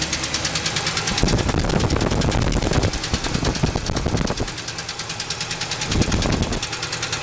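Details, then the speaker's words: Engine after an oil change with detergent added, following an earlier hard revving. A sharp, regular knock about three times a second rides over the idle and gets louder on revs. Owner suspects a rod; rod knock. "I'm gonna turn on the motor see you guys can see that it still makes that noise so now I'm little worried about maybe one of the rods in there or something"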